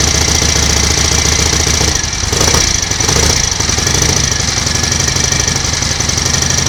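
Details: 1938 Matchless Model X 990 cc V-twin first start after several years laid up, ignition advance uncertain: uneven, lumpy beat with plenty of valve clatter, no heavy knock; sounds mechanically okay, some oil smoke from the exhaust.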